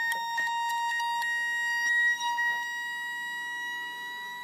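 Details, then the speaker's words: Homemade solar panel feeding about 40 V at just over half an amp into a self-oscillating charger charging a battery; steady ~1 kHz whine with scattered clicks, pitch rising as voltage drops, normal oscillator operation. "you hear the oscillations when the voltage uh decreases the oscillations actually go higher the frequency will adjust because it's a self oscillating circuit"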